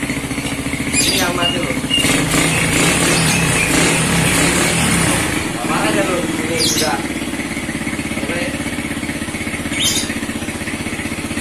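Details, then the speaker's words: Motorcycle after replacing a dead ignition coil (which sends spark to the plug) fires right up and settles into a steady, even idle with no knocks or misses. Normal idle. "Mari kita hidupkan lur. Semoga langsung hidup lur. Motornya langsung hidup lur."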